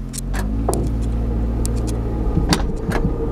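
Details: Toyota Corolla just revived after wiring fixes: very quiet engine with a low steady drone, plus irregular clicks and scraping knocks as the car creeps forward; source unclear.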